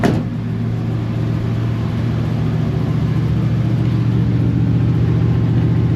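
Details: Chevy Suburban 454 V8 that would not stay running from lack of fuel pressure, now fixed after dropping the gas tank and redoing fuel lines. At idle (bad transmission), it gives a deep, even rumble with no stumbling or dying.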